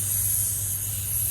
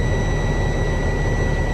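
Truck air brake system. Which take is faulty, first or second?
first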